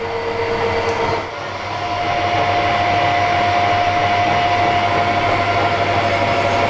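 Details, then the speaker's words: Drilling a hardened, heat-treated face mill adaptor (HS260 INT30 22mm) for a drawbar thread: steady machine hum with a thin, sustained squeal from the cut; drill rubbing and struggling in hard steel, needing cooling and small steps. "it's still quite tough I need to keep this drill bit a little bit cool I think just a bit at a time I'll drill it down to 40 mm and then I'll tap it to about 35"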